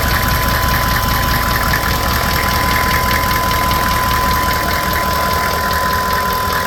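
Steady idle with a regular knock about 150 a minute riding over it, evenly spaced and sharp; a knock from inside the engine, cause not yet pinned down.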